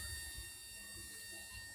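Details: 2001 Toyota Noah, 1AZ-FSE engine, key on with engine not turning; steady high whine with cricket-like ticking from injector driver unit as injectors fire continuously on almost all signal lines.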